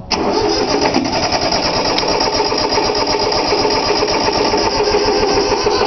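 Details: 3-cylinder Yanmar diesel cold start with glow plugs: steady starter cranking with rhythmic compression pulses that never catch; fuel lines weren't bled, air in lines, normally starts right up.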